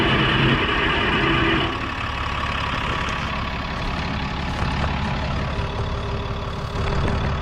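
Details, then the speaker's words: 1960–63 International Cub Lo-Boy tractor, sat 10+ years, jumped from truck: catches on starting fluid and runs roughly, uneven beat; has compression but not fuelling on its own, old tank fuel and plugs suspected. "You saw it has compression, it runs off the starting fluid, so we know"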